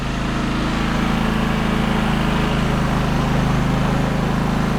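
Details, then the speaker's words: Firman WH03242 3200W inverter generator at 640 hours, after cleaning a soot-blocked spark arrestor and muffler that caused rough running and no power output: steady, even drone at constant pitch with no surging or sputter. Normal running, power restored. "Okay, we're gonna fire this up. Oh yeah. Woo. Okay, so she sounds normal now."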